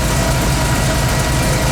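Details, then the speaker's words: 1985 Ford F-150 302 V8 after copper header gaskets were fitted: even, smooth idle with a steady low rumble and no ticking or puffing; no exhaust leaks. "no exhaust leaks. That's absolutely awesome. Listen to this baby purr."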